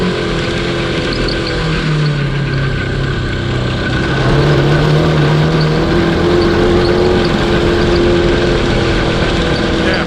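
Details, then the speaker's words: Cross kart with a DOHC 750cc engine from a 1982 Honda CB750, top end rebuilt, stuck valves fixed: loud, ragged note with uneven popping and wavering pitch under throttle, misfiring; owner suspects a failing electronic ignition pickup, unconfirmed. "come out and rip it sounds like a plan dudes yeah man here we go horrible sounds awful"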